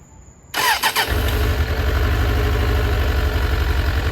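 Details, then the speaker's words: Suzuki Katana GSX-F 600 running with choke fully on: catches after a short crank, then a lumpy, uneven low idle with a dropped beat; unplugging cylinder 4 caused no change while 1–3 did, so cylinder 4 is not firing. "So when I unplugged the number 4 cylinder, I didn't feel any change. 3, 2, and 1 did change."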